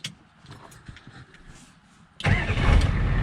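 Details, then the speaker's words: Ford 6.9/7.3 IDI diesel, Stanadyne DB2 pump, after replacing the fuel shutoff solenoid and bleeding air, restarted after a key-off shutdown test: silence, then it catches at once into a steady, even clatter; clean healthy start. "fires right back up it's beautiful"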